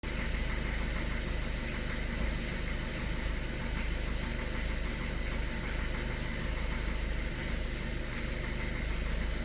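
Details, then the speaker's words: 2013 Skoda Octavia A7 1.6 TDI diesel, 188,000 km, cold start at 21 °C, idling: steady low rattle of roughly three knocks a second over the engine note. Knock disappears once warmed up; cold-start engine knock. "Після прогріву машинка починає робити нормально, ніяких проблем. Поки холодно, стукаємо."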